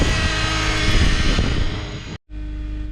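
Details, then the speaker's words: 2008 Honda Accord 4-cylinder, cold weather, right after a long crank and rough start: fast, busy idle around 1500 rpm where about 800 is expected. Cause is a split, dry-rotted intake duct letting in unmetered air; power steering pump whine also audible. "All right, it's running, but it's idling at about 1500 RPM. This thing should be probably closer to 8."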